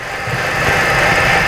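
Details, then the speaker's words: 2006 Ford Escape 2.3 four-cylinder idling: uneven stumbling beat, analyzer shows crank velocity drops with all cylinders misfiring. "so all the cylinders are misfiring and you can see these big drops right here"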